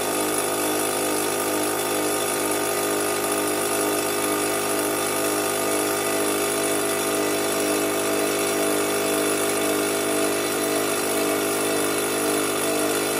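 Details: Fortress 5 gallon air compressor after pressure switch replacement (part #56402): steady even motor-and-pump hum, constant pitch, no knocking or rattles, pumping up before cutting off at 225 psi; normal run.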